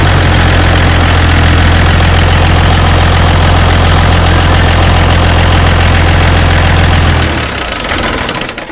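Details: Mercedes truck OM352/366 diesel swapped into an MB Trac 1300/1500 with different manifolds, less turbo whine than before; loud, deep, even diesel drone holding steady then dying away at shutdown, no knocking; normal running.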